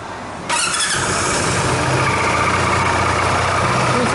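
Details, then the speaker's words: Dafra Maxsym 400i scooter at about 17,000 km, starting and idling: thin high squeal over the engine from the CVT, before disassembly and cleaning. "essa moça galera tá fazendo um chiado aqui na parte do CVT vamos desmontar para fazer a limpeza verificação"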